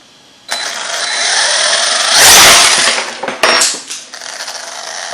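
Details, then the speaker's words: Arrma Talion 6S RC truck on a bench test after fixing a developing noise: smooth electric whine spins up, holds, then winds down with no clicking or knocking; normal drivetrain run. "we're gonna fire this thing up and uh do a test to make sure there's no noise or anything anymore I doubt it sounds better Oh"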